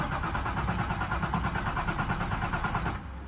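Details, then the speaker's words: Nissan 350Z after cleaning up the grounds: starter cranks engine unevenly about three turns a second with no catch or firing; short in wiring harness suspected; crank no start. "this is me trying to started up after cleaning up the grounds"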